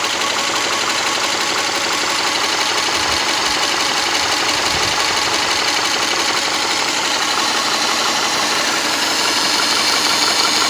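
Flat-four idling steadily with a quick light tick riding over it, about three a second, cause not yet pinned down. Cause suspected, not confirmed.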